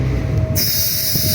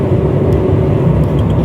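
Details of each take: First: 2018 Honda CR-V, turbo, accelerating between 20 and 30 mph: low engine rumble then a sudden loud airy hiss, as if air is blowing out, as boost builds; boost leak. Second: Honda CR-V on a test drive at over 50 km/h after an intake air leak was fixed and the clamp tightened: steady engine pull under road and tyre rumble, no hiss on acceleration; normal.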